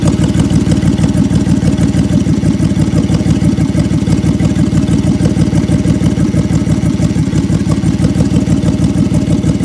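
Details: 2003 Honda 3.5L V6 with codes P0301, P0302, P0303 and P1399, misfire on bank 1: steady idle with a lumpy, uneven low pulse about three beats a second under the exhaust note; engine misfire at idle.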